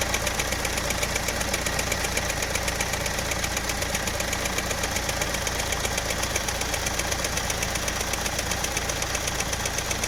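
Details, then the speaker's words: Engine running with a quick, even chik-chik chirping tick about two or three a second from a lightly cut, damaged drive belt; check belt for damage and replace to stop the noise; worn drive belt ticking. "ஆனால் இந்த நல்லா இதை உன்னித்து கவனிச்சிங்கன்னா belt வந்து லைட்டாக cut ஆகி sick sick sick sick சிக்னு அடித்தா எப்படி இருக்கும், அது மாதிரியான ஒரு சவுண்டு கேட்கும்."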